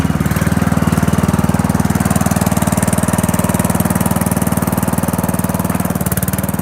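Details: Old Murray riding mower, single cylinder, cold start after sitting: steady, even chug at constant speed, no misses, knocks or surging; runs, rides and cuts well; normal running.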